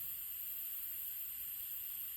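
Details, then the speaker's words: Hot water boiler radiator system being drained: steady high airy hiss at a radiator valve as air is pulled in while water still siphons out, breaking the vacuum; quiets as draining finishes. "you can hear that hissing that means there is still water in here it's uh siphoning out and it's pulling AR back into the system this way to allow the vacuum to be broken and to drain out of the house"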